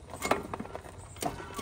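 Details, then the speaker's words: 23-year-old Club Car DS golf cart, motor under diagnosis: sharp separate clunks about every half second as the pedal is pulsed on and off, with a faint electric hum; owner unsure if motor, transaxle or spline, clunk on engagement. "gas on off on off on off on off so makes that click every time you engage it"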